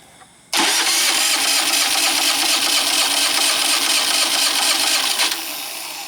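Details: Predator 3500 generator, suddenly wouldn't start: about five seconds of strong, steady cranking with no firing; cranks but won't start, fixed by replacing ignition control module TJ113-2009-1.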